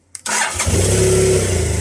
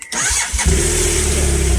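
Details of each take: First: BMW GSF 650 after battery replacement: brief crank, engine catches straight away and settles into an even idle. Earlier starts were hesitant and struggling, blamed on a dodgy battery; now a clean, healthy start. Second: BMW GSF 650 (model number, not 650cc) cranking sluggishly and hesitantly for about half a second before catching and idling; owner hopes it is a lazy battery, not a lazy starter motor, and is replacing the battery.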